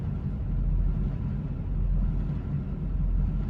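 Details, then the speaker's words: 2004.5 GMC 2500 HD LLY Duramax diesel, 245,903 miles, deleted and Banks Six Gun tuned, at idle: low rumble hunting between about 600 and 900 rpm roughly once a second; idle surge, worse in gear, owner suspects failing or clogged CP3 fuel pressure regulator. "my truck is starting to Surge at idle so I'll be at like 600 RPM and then it'll surge up to 900 and then go back down to 600 and it'll go boom boom you kind of hear it ever so often like falls off and and then shoots"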